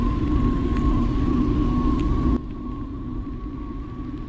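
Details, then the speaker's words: Electric mountain bike (TSDZ2 500W mid drive, 48V) riding in rain: steady mid-pitched hum over road rumble; water bottle shifted in right fork cage and rubbing the front tyre. "uh um the water bottle uh uh shifted a bit and it uh moved it close to the tire the front tire and uh it started that numbing sound"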